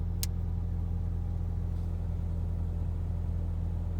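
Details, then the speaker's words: Toyota Celica GT (2001-03) after blower motor replacement, heater blower running: low steady hum with soft even pulse, only air heard, no rattle or squeal; much quieter than the old failing motor. "Okay. So max. And all I can hear really is just the air. So it's a lot better than what it previously was."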